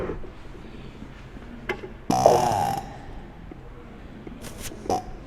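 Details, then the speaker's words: Hand-turned two-cylinder air compressor, wheel spun slowly with a finger over the outlet tube: one short airy rush of air being compressed; ordinary compression noise, nothing wrong. "you can hear as i spin the wheel and that is from that's just the noise of the air getting compressed"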